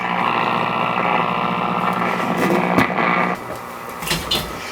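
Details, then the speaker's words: Restored old tube Zenith table radio warmed up on bench drawing about 15 watts: steady harsh low buzz over broadcast audio, interference from the camera picked up via antenna; stops when camera is off, radio otherwise working. "Well, I found what the problem is. It is interference. It's coming from the camera."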